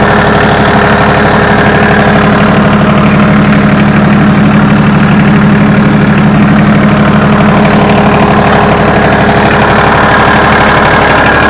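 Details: Ford New Holland 1630 three-cylinder diesel tractor after rear remote hydraulic valve leak repair, warmed up: even low beat with no whine or squeal over it (earlier squeal sounded like low hydraulic fluid); no leak, running healthy.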